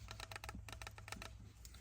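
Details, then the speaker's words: Land Rover Defender Puma 110 gear stick with play at the bottom and loose weights: quick bursts of light metallic clicking over a low steady hum from the rattling weights, later resecured and regreased. "These come loose and start to rattle quite badly as well. Now mine are a little bit loose."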